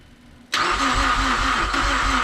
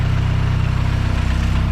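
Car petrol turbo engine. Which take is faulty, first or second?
first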